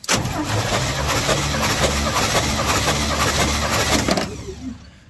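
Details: 1953 Chevy truck V8, burning oil, compression test on the second cylinder tested (about 155). Starter cranks steadily at about three and a half turns per second with even compression pulses, then cuts off; low compression suspected.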